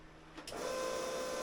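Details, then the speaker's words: Fuel system of boat Brupeg's newly rebuilt Cummins 855 being primed before first start: click then steady mid-pitched electric hum of the pressure pump, gauge bouncing from air still in system but plenty of pressure; electric fuel pump running normally. "so it's bouncing a little bit because we've got ear still on the system but we know that we've got plenty of pressure at this point going forward"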